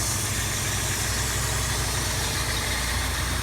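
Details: 1989 Plymouth Acclaim, 2.5-litre four-cylinder with 3-speed automatic, at idle: smooth, even low hum with no knocks, ticks or belt squeal; engine sounds healthy, though the A/C belt is floppy and old.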